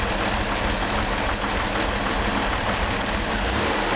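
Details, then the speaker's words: 1965 Corvair Corsa turbo flat-six on the bench, test start before refitting, still on initial untuned settings and jump-started: runs steadily but loud, a bit lumpy and uneven at idle; rough idle needing tweaking. "now this is still on all the initial settings uh it requires a little bit of tweaking"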